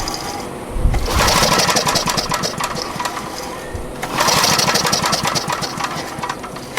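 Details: Abandoned Generac generator found with spark plug missing and water in cylinder and tank; carburetor sludge cleaned. Engine catches and revs up, sags after a few seconds, then picks back up, hunting and surging; owner suspects carburetor, not confirmed.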